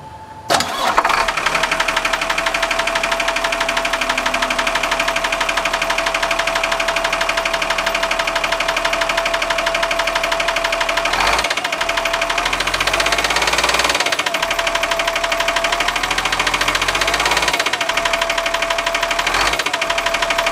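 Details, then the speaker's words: New Cummins diesel repower, right out of the box, fires up and runs steadily with a sharp rapid knock that remains even after debris jammed behind the crankshaft pulley was pulled out; cause unknown. "well we got that pulled out and we still have a anak so here goes gradual doesn't sound normal to me"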